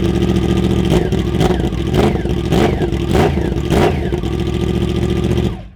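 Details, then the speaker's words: Yamaha R1 motorcycle, cold engine, silencers removed with only the Y-pipe catalytic converter left: sharp throttle blips crack out raw and very loud between rough idle; loud exhaust with silencers off. "That is completely insane. I really do wish I could run it to sound like that pretty much all the time, but even at idle, because it's still cold, it's probably a bit loud."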